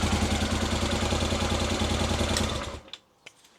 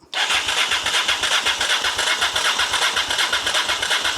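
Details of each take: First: Honda Africa Twin after full rebuild, with tickover corrected by removing a restricting spring on the top screw: steady, even twin-cylinder idle with a soft regular exhaust beat. Starts, runs and ticks over properly. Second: Rebuilt Honda Africa Twin at first start attempt with a temporary fuel supply and a bit of choke; no fuel pump heard, and the starter churns steadily at about three compressions a second without firing; the oil pressure light goes out.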